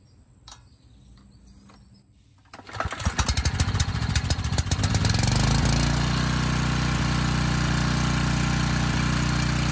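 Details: Briggs & Stratton Storm Responder generator repowered with a 10 HP Briggs engine (model 204412-0163-L1), old oil and unserviced carb: pull-start catches into a steady, even drone, no knocks or misses; makes power, about 114 V.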